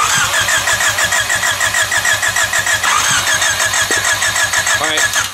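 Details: Honda no-start diagnosis: engine spins over on the starter with a steady whine and even beat but never catches, while checking for spark at the coil; cause still unknown.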